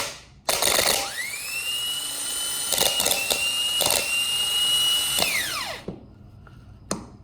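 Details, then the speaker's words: Starter motor from a 2003 Chevy Silverado, new unit bench-tested with jumper connections to the solenoid: high whine climbs quickly, holds a steady even pitch about four seconds, then winds down smoothly; starter and solenoid good. "so as you can see this starter and starter motor is good"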